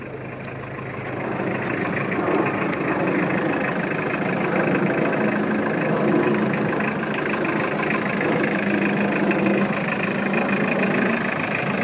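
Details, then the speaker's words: 1991 Mazda Bongo 4WD turbo diesel after glow plug startup: steady, even diesel clatter at idle with no misses, knocks or smoke; normal diesel idle. "we'll walk around here a little bit with the engine running so you can hear it but it runs absolutely fantastically strong"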